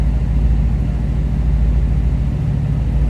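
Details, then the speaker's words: 1934 Ford Deluxe 3-window coupe street rod, fuel-injected 327 V8, after cold start, heard from rear exhaust: deep, even rumble at idle with no misses or ticks; healthy V8 running smooth. "Like I said, nice sounding car. Fuel injected, 327."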